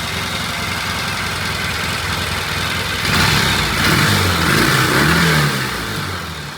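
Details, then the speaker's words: Vintage British twin motorcycle idling right after starting, with carb needles replaced, jet adjustment and idle just set; even, steady idle with a smooth throttle blip settling back cleanly; sounds good, normal idle. "All right, it started right up. I set the [Music] jet adjustment jet and I set the idle. It sounds good."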